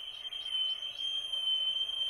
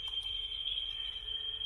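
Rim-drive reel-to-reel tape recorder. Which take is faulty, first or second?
first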